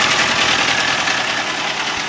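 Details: Toyota Avanza with a harsh, rattly clatter at idle right after start, with engine oil checked and in good condition. The noise doesn't settle as oil pressure builds; a failing bearing is suspected.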